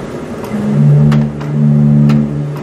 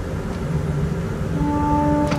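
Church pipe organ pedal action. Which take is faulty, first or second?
second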